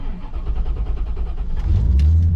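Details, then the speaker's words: 1989 C4 Corvette with a newly replaced starter: quick, even, strong cranking beats for about a second and a half, then the engine catches and settles into idle. "And hear that new starter cranking nice and strong."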